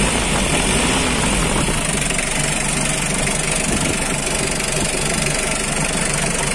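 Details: 2009 Mitsubishi L300 pickup with power steering, diesel idling steadily with a regular clatter about four beats a second, no knocks or misses; engine sounds healthy.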